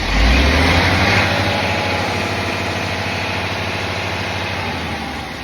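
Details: Engine idling with an uneven repeating beat, about three a second, over the steady rumble. An abnormal engine noise, cause not clear.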